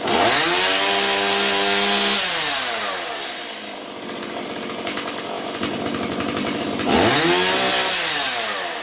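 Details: Stihl 017 chainsaw that bogged down, after retrofitting adjustable non-EPA carburetor in place of non-adjustable EPA carb and adjusting mixture: crisp high two-stroke scream, clean idle, revs back without hesitation or bogging; normal running.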